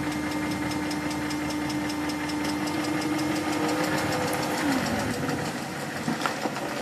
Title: E38 ticking noise